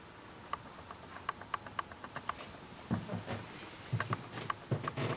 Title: canon s100 clicking sound